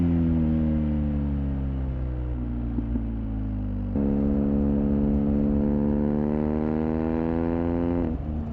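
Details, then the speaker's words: BMW R1250R with SP Engineering silencer and modified dB killer combination fitted, revving: deep smooth twin burble climbing evenly and dropping back cleanly, no rattles or popping; sounds good and thought to perform about as well as OEM. "i've ridden the bike a couple of times now with this uh kind of combination in the back of the exhaust and a it sounds good enough to live with and b i think the bike actually performs pretty much as good as oem with this setup"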